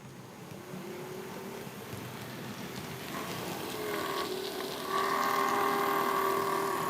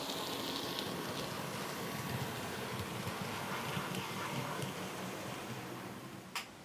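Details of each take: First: Bachmann class 47 model loco, after full run-in and lubricating worm ends and prop shafts, in the bad direction: thin rough whine rising with speed; owner suspects dry motor bearings, unconfirmed. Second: Bachmann class 47 model loco, normally grinding in one direction, running in the other direction: quiet, soft, even whir with a faint regular patter about four per second and no grinding; smooth.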